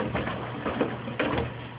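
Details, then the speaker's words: Mueller Special washer, Quick cycle at 60°C washing a big duvet: irregular hollow thuds, about four in two seconds, over the wash churn. Loose detergent dispenser ball knocking against the door. "The dispenser ball is banging against the door. Let me take this ball out."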